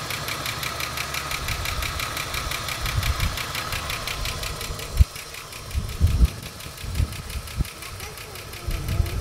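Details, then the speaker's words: Ford EL Falcon Futura, off the road for years and barely run: a fast, even tick over a rough, uneven idle with a few louder thumps. Owner unsure whether it is a tappet/lifter or a bad pulley bearing. "so as you can hear that noise I'm not too sure if that's a like a tap it lifter type noise or whether there's a bearing in one of these pulley that um that's no good"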